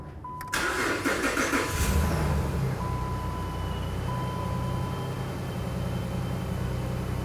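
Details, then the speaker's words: 2008-2012 Jeep Liberty V6 after replacing spark plugs, ignition coils and plug wires: chime, short crank, then smooth even idle, checking for misfire and check engine light. "okay so let's start it up we're gonna feel for a misfire and we're also gonna pay attention for a check engine light"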